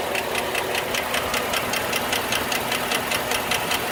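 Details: 2008 Chevrolet Suburban at steady idle: a light, rapid tick about two and a half times per second rides over the engine note; lifter tick.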